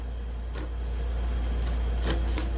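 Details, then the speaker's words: Starter from a 1996 Chevrolet work truck with a 4.3 L engine, bench-tested on a battery charger: a steady low buzz with sharp clicks as the solenoid chatters; weak starter solenoid, to be replaced. "got juice so uh you saw it spark it is pulling and just just buzzing I can feel this thing"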